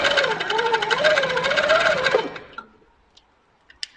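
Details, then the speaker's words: Handi Quilter Capri sit-down longarm with industrial needle: fast even stitching, about four stitches a second, over a wavering motor hum that then stops; top thread tension too tight, showing double rounds, then eased. "now let's just see if we need to release the top tension a bit we do because it's got double round"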